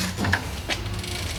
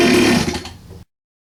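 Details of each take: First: 47cc Chinese pocket bike two-stroke on oil-mixed gas, after cleaning the carb jet for a no-start: catches after a few quiet turns and settles into a steady, even buzz; running normally again. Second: 47cc Chinese pocket bike, started with fuel line open, choke on and some throttle: a high buzzing run sags and fades within a second, then goes silent as the engine bogs out and dies. Blocked carburettor jet is possible, suspected not confirmed.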